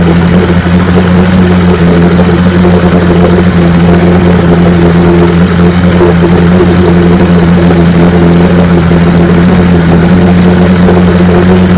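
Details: 1965 75 hp Evinrude Electromatic outboard (owner thought 1963) with electromatic shift, serviced with new water pump impeller and lower unit: steady, even drone with constant low tone, no misses or knocks; runs like a charm.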